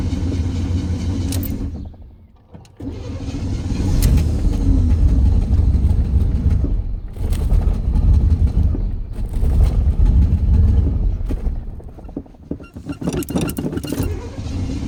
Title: Stalled hard start